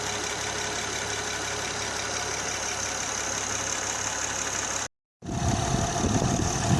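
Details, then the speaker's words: Normal steady idle, soft low rumble without knocks or misses, of a 2008 Honda Odyssey EX-L 3.5 L J35 after replacing a bent-valve engine with a used 112K-mile motor, new timing belt kit, plugs and VCM disable kit; VSA light cleared. "We'll fire it up. Well, she's running. Well, clear out the old coat. The VSA light come off. She's purring like a kitten."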